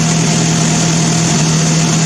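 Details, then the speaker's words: Old Mazda engine for a woodgas generator, first test run on a newly built homemade ignition control computer, fuel from a weed-eater tank, choked and cranked via a wire. Steady, even idle with a smooth low drone and no misses or knocks. Runs properly. "There, it runs quite nicely."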